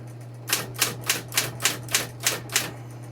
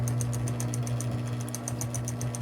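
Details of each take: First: Smith Corona Coronet Electric 12 portable typewriter, motor running: crisp quick key strikes about three per second over a steady motor hum, carriage returned at the bell ding, keys returning cleanly with none sticking; normal typing. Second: Smith Corona Coronet Electric 12 portable typewriter switched on: steady low motor hum with a light even tick about eight times a second; the belt-drive pulley wobbles and makes the sound, belts good, possibly needs a tune-up.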